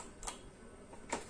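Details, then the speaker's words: 1988 Sansui B-1000 stereo power amplifier after IC replacement fixed no-sound fault, speakers connected: quiet room then a few crisp clicks as the protection relay engages at power-on; working properly. "Relay click ஆகுதுன்னு பார்க்கலாம். பக்கா relay பக்காவா click ஆகிட்டு இப்போ work ஆகுது."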